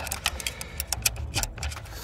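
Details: Land Rover Discovery Sport L550 2.0 TD4 Ingenium, recovered after a restricted-performance warning, loss of power and cut-out: irregular dry ticks and scrapes as the turbo wheel is turned by hand; the shaft has collapsed and the impeller rubs the housing.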